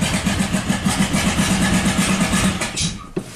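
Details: 1997 Buick Century 3.1 V6 after plugs, wires, coils and ICM were replaced: cranking with wide-open throttle gives an uneven chuffing stumble, about three beats a second, that never catches. It runs on one or two cylinders with the oil light on: severe misfire.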